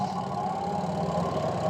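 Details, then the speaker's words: Washing machine that only hummed and would not spin due to a brake problem: with the brake wire pulled the spinner turns freely with a steady smooth motor hum, no grinding; released, it brakes and just hums. "Mau dia berputar kalau e ininya ditarik dia tuh sudah mau berputar."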